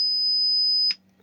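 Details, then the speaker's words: Laney Cub 12R guitar amp: piercing steady 5 kHz whistle for about a second, then cut off dead; oscillation and hum as volume advances, traced to the painted metal chassis halves lacking ground connection. "as you advance the volume it bursts into oscillation and it's um it's bang on 5 khz it's really uh it's really really curious"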